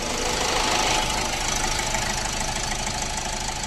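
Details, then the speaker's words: Ford EcoSport 1.4 diesel with earlier misfire, vibration, pickup problem and malfunction light, after clearing fault codes: even idle with light injector clatter, steady rhythm, no stumble or miss; running smoothly and quietly. "Missing ఇట్లా ఏం లేదు చూసారా silent గా ఉంది okay"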